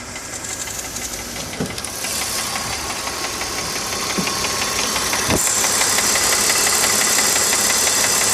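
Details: BMW E46 325Ci with M54 engine, warm, at idle: sharp, fast, even ticking about three per second over the engine hum from the front of the engine, only at idle.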